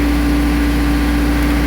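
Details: Diesel mower after installing new time delay relay (previously died when PTO engaged): steady idle with constant low drone and even hum, no stumbling or dying; runs normally after repair.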